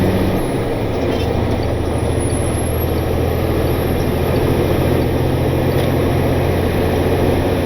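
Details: Truck just back from the shop after loose rocker arms were fixed, lugging under load and on the Jake brake: deep, even drone with no knocks or misses. Running smooth and not getting hot.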